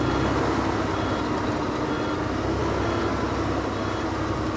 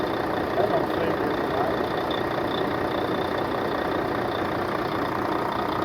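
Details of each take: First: 2004 Volvo truck diesel, about 1,180,000 miles, just started on ether after sitting years: heavy clatter with uneven, lumpy idle beat, not settling smooth; running rough but staying lit. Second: 2004 Volvo truck, diesel, started after sitting years: diesel clatters at a steady idle, even rhythm, no hunting or knock; healthy-running engine.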